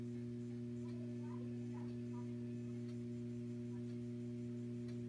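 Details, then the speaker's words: Data East/Williams System 11 pinball machine: a constant low speaker buzz with a hum behind it, one of two hum types. A grounding or power supply fault is suspected but not confirmed. "if you could hear that that just constant buzz that's one thing okay that's that's one type of buzz"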